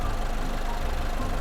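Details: Push-start car that earlier cut out when started (fuel gauge blank) now idling after repair, heard from outside the car: steady, even low rumble, no misses or knocks; battery then measured charging at 13.66 V. Normal idle.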